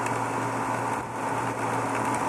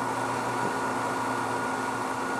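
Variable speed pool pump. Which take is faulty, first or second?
first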